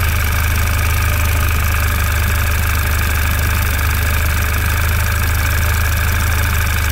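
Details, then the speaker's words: 2011 Audi TT Quattro 2.0T TFSI first run after engine damage repair, oil pressure 40–45 PSI, no check engine light: four-cylinder idling with light fast top-end tick; noisy lifters, owner thinks they may need time to fill. "Lifters are a little noisy. Might just take a while for them to fill up and kind of just figure out what the hell they want to do."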